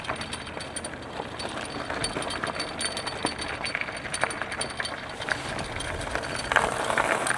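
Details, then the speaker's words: Tiniover River electric trike in pass 3 on rough road: light, irregular clinking and rattling over road noise; rider suspects the slightly loose brake button, rattle absent on smooth path. "Oh, you know what? I think I found the rattle. I think I found the rattle because the button for the brake seems to move just a little bit."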